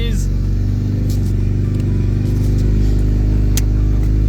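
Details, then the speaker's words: Snapped exhaust on a DC5, broken before the silencer and leaking, not the expected tapered-section separation; loud, raw, rasping exhaust with heavy low throb swelling on revs; exhaust leak. "so the problem that I thought we had is not the problem at all from what I had in the past with my EG there was like a tapered section on the exhaust which would basically just come apart"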